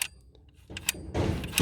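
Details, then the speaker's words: Peugeot/Citroën DV6FC diesel EGR valve, engine off, actuator casing broken open, reportedly electronically disabled for 3 years: short motor whirr as the valve lifts, then a firm clunk as it seats shut; the actuator works normally. "Donc là, elle se lève. Et là, elle se referme. Donc, on entend bien son fonctionnement, qu'elle redescend."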